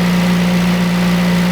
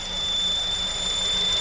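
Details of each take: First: Engine that had a whining noise from the engine bay, first thought to be a pulley, after the repair and about 25 minutes of running and warming up: a smooth even idle with no whine, ticks or knocks. The noise is cured. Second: Honda engine bay whine at idle and revving, first thought to be a pulley (crank, A/C compressor, alternator suggested): thin, steady high whistle; owner says it is not fully pulley-related, exact source not yet confirmed.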